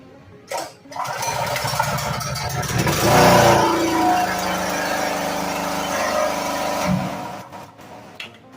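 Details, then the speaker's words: Small stationary generator (Branco-type 5.5/6.5/7 HP) running with a loud, harsh scraping grind from the generator end, then shut down; told to stop immediately if this noise appears. "se você funcionou seu motor e ele aparentou esse barulho pare imediatamente a gente acabou de descobrir o problema desse motor"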